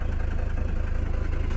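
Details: Mercedes 300D five-cylinder diesel, salvage auction car of unknown sitting time, just after first start: deep, evenly spaced clatter at a steady rate, no stumble or uneven beats; healthy idle.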